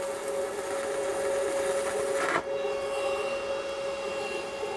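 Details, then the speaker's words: Arc welding a 309 stainless rod on scrap with a budget Sepaspe Arc 200 stick welder: steady crackling arc hiss turns uneven and poppy near the end as the rod overheats; sputtering is from the hot rod, not the machine. "going to tell you, these rods get really hot. I know sometimes I'll burn half of it, let it cool off, then weld the other half. You could hear it kind of sputtering towards the end. Not the machine, it's the rods."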